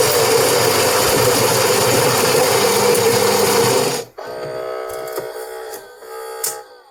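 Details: Gaggia Platinum Vogue (Saeco Odea type) coffee machine after gearbox motor replacement, fixing "feeding failed" start-up error: about four seconds of loud steady grinding, then softer motor whir and clicks as brew unit moves; normal coffee cycle.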